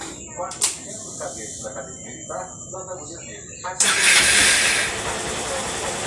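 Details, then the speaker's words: Honda Bros 160 motorcycle after repairing a recurring engine noise problem common to the 160 engine (SKF bearings tagged): cranks, catches quickly, settles into an even idle with no knocking, shaking or clutch-side rattle; normal running after repair. "e os podem ver o funcionamento normal dela sem tremedeira e sem barulho no motor"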